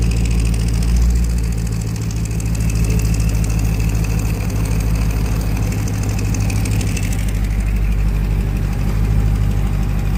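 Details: Car with a Flowmaster exhaust idling with a deep, rapid puffing rumble from an exhaust leak near the muffler.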